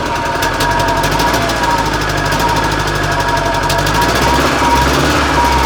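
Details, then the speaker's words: Żuk van engine after cylinder 4 exhaust valve seat repair and pushrod work, first start: ragged, uneven idle with a missing beat in the firing pulses, not running on all cylinders. Misfire; owner suspects ignition, and it runs better with a part held in the right position. "still not running on all but I think it's ignition related"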